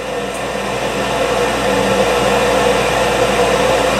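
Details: York furnace showing a 4 red flash fault (suspected inducer limit, rollout or primary limit switch): steady, even whir with a faint hum as the inducer blower motor spins up before ignition.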